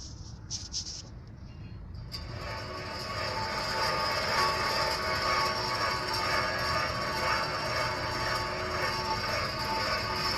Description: sound of bad wheel bearing .